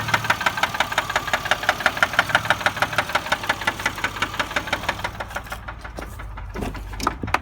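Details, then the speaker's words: 2004 Chevy Malibu idling: steady sharp knock about three per second, continuing while driving and fading around 50 mph; engine stalls when idling in drive; owner suspects a spun bearing, not confirmed. "and they're going idle and got in drive and cut off with some parts to stay on but that sound keeps going while you're driving kind of dies down at 50 miles an hour but you can still hear it"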